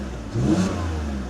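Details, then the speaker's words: BMW E46 mechanic special with dash lights, reported thermostat fault and misfire: quick throttle blip climbs and falls evenly with no stumble or popping; engine revs smoothly, no audible misfire. "Sounds smooth to me."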